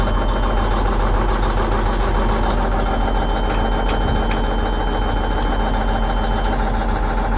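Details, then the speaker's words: Versatile 2360 tractor, Cummins N14 rated 360 hp, before repair: heavy diesel idle with uneven lumpy beat, belts squeaking, cab shaking; owner suspects a sticking injector and reports a mist; failed injector. "He said it's got sounds like it's got an injector that's sticking or not working correctly, and it's got a kind of mist to it."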